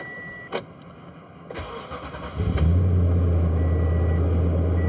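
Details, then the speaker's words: 2014 Toyota Tundra 5.7 with hard-start/long-crank complaint, after TSB PCM software update for fuel alcohol calculation, cold morning start at 30 degrees: brief crank, catches quickly, smooth steady low idle; normal cold start. "started up just fine I think we have it fixed for now"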